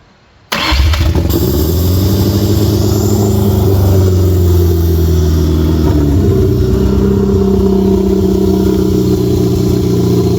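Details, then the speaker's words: Ford Ranger with junkyard 2.3L four-cylinder, flood-damaged, reportedly 80,000 miles, first starts after install: fires up and holds a fast, raised idle; crew says there's a vacuum leak somewhere. "Yeah, we got a vacuum leak somewhere."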